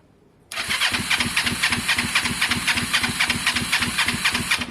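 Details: Kawasaki ER5 twin: starts and settles into an uneven, lumpy, rough idle; cause unknown, owner suspects spark plugs need cleaning.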